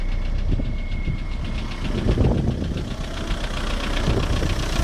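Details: VW 1.9 TDI (ASV, 110) rough idle with persistent knocking under diesel clatter; knock traced to the bottom end, no definite cause or fix found.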